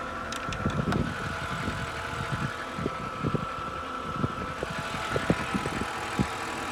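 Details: BMW E90 N52 at idle: faint high whine, apparently from the oil filter area, with scattered light knocks that occur only around idle and are worse at cold start; the whine persists with the AC off; cause unknown.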